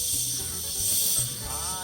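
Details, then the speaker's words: Volvo truck rear air suspension leveling (height control) valve: constant sharp air hiss that keeps dumping air past the set ride height; loose part inside the valve, so it is leaking and must be replaced. "This level should stop dumping. See, it's keep dumping."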